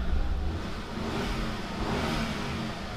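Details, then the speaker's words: Car with a weak battery (9.94 V) jump-started from another car: the engine catches at once, revs briefly, then settles into a smooth, steady run with no stumble or misfire. "But now, since this battery is not very dead, we're going to go ahead and just try to start it up right away, and I am confident that it'll work. Yep, there we go, started up pretty much immediately."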